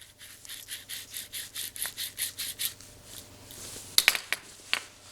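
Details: Jaguar F-Type (X152) manual transmission removed: a dry, gritty scrape pulses about four times a second as the old worn clutch release (throwout) bearing is spun by hand; it was replaced with a new bearing/slave cylinder.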